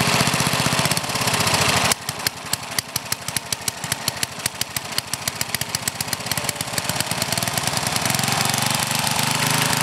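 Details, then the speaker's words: Older Briggs & Stratton engine with one-piece Flo-Jet carburetor during mixture adjustment: pops along at idle with an occasional light sputter, no constant backfiring; mixture acceptable, constant sputter would mean lean it out. "a little sputter now and then like you hear there is okay if it starts backfiring and sputtering all the time that's when you got to try to lean it out a little bit"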